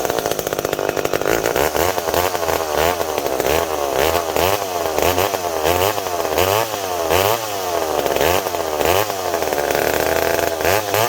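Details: McCulloch PM700 chainsaw after carb cleaning and refitting a misplaced gasket, making test cuts in an oak log to seat the ring: crisp two-stroke rasp rising and sagging with each cut, clean throttle response, no stumbling; runs properly.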